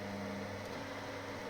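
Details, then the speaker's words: Inline bathroom extractor fan mounted rigidly with foam draught excluder over a wooden floor: constant low droning hum over the fan whoosh, caused by mechanical contact between fan, pipe and floor transmitting vibration; later remounted inside flexible tubing with foam. "But now you hear the sound, the humming sound because there is a mechanical contact between the fan and the pipe and the floor."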